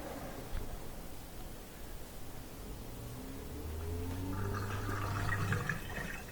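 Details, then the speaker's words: Bosch dishwasher, previously not draining, after reset by holding the button 3–4 seconds: gurgling water then a steady low drain pump hum building as water is pushed out; draining normally. "You can hear it draining right there."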